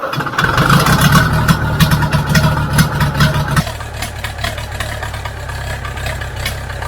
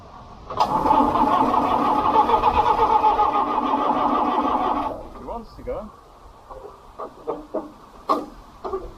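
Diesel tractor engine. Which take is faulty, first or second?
second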